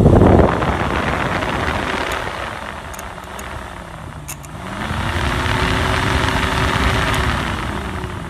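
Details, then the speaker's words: VW Corrado G60 electric radiator fan, jumped directly at the two outside tabs of the unplugged two-speed three-prong temperature switch connector: hum rises as the fan spins up, then holds a steady higher whir; fan and wiring good on high speed, switch suspected. "and now i should be able to connect the two outside tabs and hear the fan kick on the high speed"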